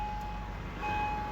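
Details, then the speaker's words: 2005 Acura RL after no-start repair (blown fuse 7, circuit to ignition switch and immobilizer on a resettable breaker): engine starts and idles steadily with a faint constant tone, no misses or knocks; normal idle. "this has the knob that you can turn the vehicle starts and runs"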